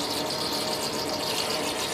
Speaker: you can hear that extra air.